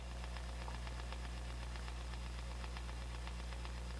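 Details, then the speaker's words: Fender '68 Deluxe Reverb with the attenuator switched off: a steady tick about four times a second over the mains hum, tremolo circuit ticking bleeding through; less noticeable with volume above six. "so i don't know as the amp gets really above six that ticking seems to get less noticeable"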